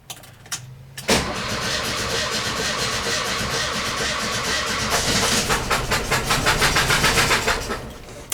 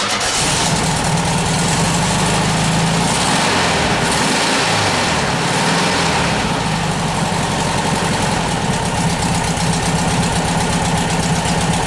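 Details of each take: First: VW bus engine cranking after valve adjustment with one spark plug left out: lopsided, hitching cranking rhythm, one beat lighter each turn, as that cylinder has no compression; uneven cranking from the missing plug. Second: Air-cooled flat-four VW bus engine just after a valve adjustment, still cold and on the choke: a steady, even idle with no valvetrain clatter. It runs well, though the belt is flapping slightly and needs adjusting.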